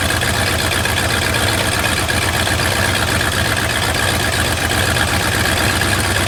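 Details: Lifted bullnose Ford carbureted V8 truck running after sitting almost 4 years, carburetor just cleaned, rebuilt and tuned: steady, even idle with constant rumble, no misses, knocks or hunting; normal idle.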